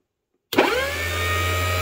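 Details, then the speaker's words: ART-13 transmitter dynamotor on a bench during its first power-up smoke test, fed from a bench supply on pins 3 and 8: quick rising whine settling into a steady, even hum with a rush of cooling air; runs healthily. "wow there it is listen to that baby go now it is sitting on a on a bench with uh that's probably very uh makes a lot of vibration so it's probably louder than i think it'll be once i get it in another position"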